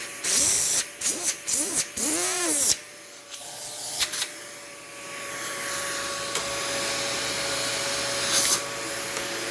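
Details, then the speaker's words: Dyson DC28 Animal vacuum cycling on and off: rough, uneven motor roar, then a long wind-down with faint clicking. Owner suspects the cleaner head rather than the motor, but is unsure. "Motor on this doesn't sound too good, but I don't know if that's the motor or if that's the cleaner head. It sounds to me like the noise is coming from the cleaner head, because there's also that like brr, that like clicking noise when it winds down."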